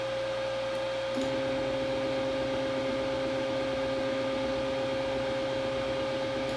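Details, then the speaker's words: Robo R1 3D printer bought trashed and being revived; an axis that had never moved before creeps slowly and smoothly, and its stepper gives a clean, steady mid-pitched hum with no grinding or skipping. "that's the first time i've seen that axis move ever"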